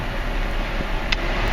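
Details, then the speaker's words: Nissan Quest / Mercury Villager cabin blower after blower motor replacement, heard from inside the cabin on speeds one to two; smooth, steady rush of air with no ticking, rubbing or squeal, normal blower operation. "all right here's a shot from the inside not sure if you can hear it blowing it now works this is on one slightly blown two"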